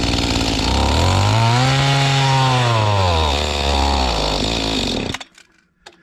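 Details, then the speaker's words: Mantis tiller two-stroke, condition unknown, started with full throttle, then choke taken off: revs surge up and sag back unevenly, then cut out; rough running, owner suspects a dirty or unadjusted carburetor, which gets cleaned and adjusted next. "I took the choke off, didn't like that. Dirty or unadjusted carburetor, seems like to me."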